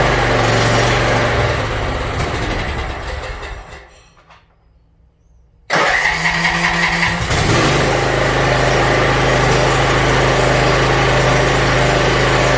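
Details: Yard Machines MTD 42-inch riding mower after new starter, cleaned carburetor and freed stuck emergency shut-off: engine cranks, goes quiet briefly, then catches and settles into a steady, even idle with no misses; runs pretty good.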